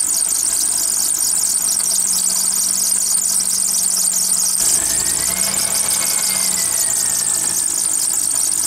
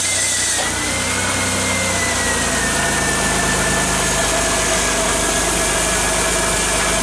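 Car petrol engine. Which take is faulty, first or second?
first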